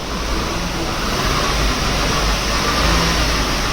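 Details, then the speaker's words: Maruti WagonR on a jack in the workshop, wheel spun in gear through second to fourth: steady rumbling roar from the wheel, a worn wheel bearing to be replaced, alongside a drive shaft knocking on turns. "देख सकते इस इस tyre के wheel में ना wheel bearing में आवाज है उसको भी अब हम चेंज"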